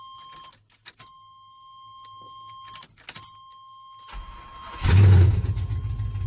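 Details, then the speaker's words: 1992 Chevrolet Silverado with swapped 5.3 V8, first start attempt on a few gallons of fresh gas, no coolant: chimes, then the starter spins steadily without catching; no fuel pressure at the rail, fuel pump not working. "See if I got any fuel pressure at the rail. Alright, so got no fuel pressure there. Fuel pump's not working."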